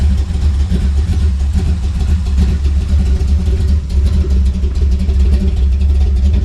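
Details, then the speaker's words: Cammed Chevy C10 carbureted V8 after sitting months, tune-up and priming dried-out carburetor: deep lumpy V8 idle with steady choppy beat, no dropouts or stumbles; previous miss is gone, runs clean. "that sounds it sounds for helping that miss is gone"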